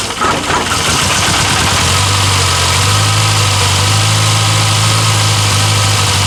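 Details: 1962 Austin Healey Sprite Mk2 with the 948cc engine, first start in over 40 years: an uneven, lumpy beat of about three pulses a second that never settles; a rough, hunting idle that won't hold.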